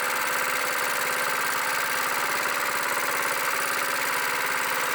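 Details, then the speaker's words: Cheap used plate compactor's small single engine idling after carburetor cleaning (revved past the rev limiter with a towel over the intake); clutch not engaged, so it isn't compacting. Steady, even idle with a smooth uniform drone, no misses or knocks; normal idle. "as you can see, it idling, it's not running, it's not compacting."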